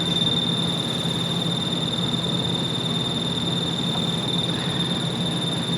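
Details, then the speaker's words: Magnetostrictive ultrasonic dental scaler switching supply, powered: a rough, fast chirping buzz over a thin high whine. The output is only about 3 V, likely with ripple because the bulged electrolytic filter capacitors fail to filter it. The capacitors were then replaced. "And I'm assuming there's an AC component here because this sounds like something turning on and off really quickly because the output is screwed because the capacitors that are supposed to filter the output to a nice DC are not doing the job cuz they're inflated."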